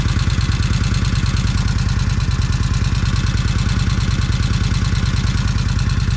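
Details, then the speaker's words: Kawasaki Vulcan 1600 V-twin idling just after first start following 4-5 years unrun, new battery: steady idle with light regular ticking about two per second over the lope; owner waits to see top-end clatter quiet down. "Okay, now I reckon what I do is just let it sit here and see if the motor sound is quieting down some."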